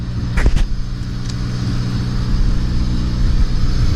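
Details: Honda revived with a makeshift ground and a fully charged battery, no coolant or transmission fluid. It starts quickly on the first shot and settles into a low, steady, even idle rumble with no knock or misfire. Normal start and idle.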